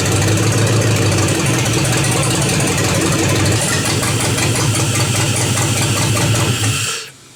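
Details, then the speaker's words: LS V8 swap with homemade headers, started without its ECU: catches and runs loud and uneven with a lumpy beat and stumbles before cutting off. The misfire was traced to an upside-down coil pack. "So a minute ago you seen how bad it was running, right?"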